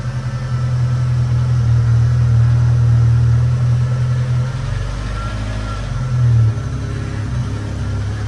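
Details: 1993 Mustang 2.3 four-cylinder, starting after a head gasket job and timing fixes. It catches and runs lumpy, stumbling and sagging before picking up again. Rough running because the plug wires were in the wrong firing order; the number four plug wire is broken.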